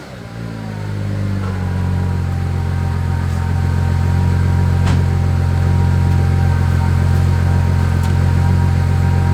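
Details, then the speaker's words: 2001 Audi S4 after repairing a fuel leak from a botched air-suspension install: slow crank, then a smooth, even, steady run with no stumble or misfire; slow start because the whole fuel system had been disconnected; no fuel leaks seen. "the car sounds good obviously it took a little while to start up that's because we had the whole fuel system disconnected um but yeah seems like it's running okay it's not stumbling at all"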